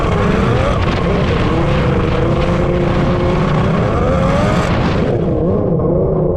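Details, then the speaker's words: Freshly rebuilt two-stroke X2 jet ski under throttle on the lake: the buzz wavers and stumbles, never clearing crisply. This blubbery, rich running persists despite leaning the carbs. "I don't know if you guys are picking up on that but the X2 is clearly not working properly it sounds like it's running really rich even though I've been leaning it out"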